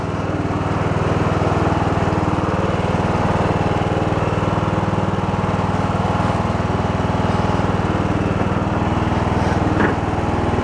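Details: Abandoned Poulan Pro riding mower, revived after earlier idling but popping back and not revving as if rich: small single pulls hard and even, about four beats a second with deck engaged, no stumbling or popping; runs properly under mowing load.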